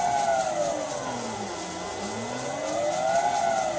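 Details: Vintage lathe motor on a new cheap Chinese XYS-AT1 VFD, which replaced a 32-year-old Allen Bradley drive. It gives a clean electric whine sweeping down and up in pitch with speed changes, smooth and even, now turning the right direction. This is normal.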